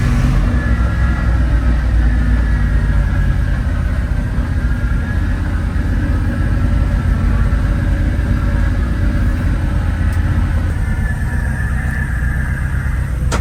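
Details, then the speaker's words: 1980 Dodge Power Wagon W300 1-ton 4x4 revived after sitting for years, on fresh gas. Steady, even low V8 rumble with no misses, knocks or surges; it runs smoothly and healthy. "Well, now that I drove it a little bit, it's running really good. Running fantastic."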